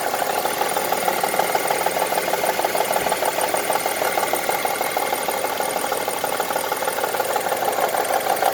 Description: This is how honda crv 2002 engine ticking sounds like. Currently I use 10W40 engine oil.